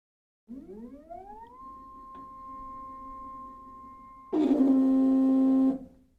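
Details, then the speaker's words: EpicSaw PowerLift just installed on a Woodland Mills HM130 Max sawmill: motor whine climbs, holds, then jumps to a loud harsh strained drone as the cable tightens but the head stops lifting; owner suspects slipping or a wrong-size key; binding. "I mean it sounds like it's doing something it's definitely putting pressure on it"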